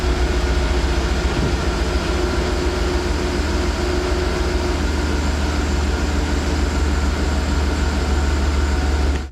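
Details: 2012 Chevy Tahoe LS 4WD after replacing the idler and tensioner pulleys, which had play and made noise at startup and idle: steady low rumble, even idle, no chirp, squeal or belt drive rattle until shutoff; normal idle.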